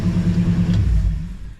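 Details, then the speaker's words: 1972 Ford F-100 V8 with glass-pack exhaust, fast idle just kicked down: deep even burble and steady low rumble, no exhaust tick at the manifold anymore; runs super smooth. "it's just running super smooth and no exhaust tick anymore"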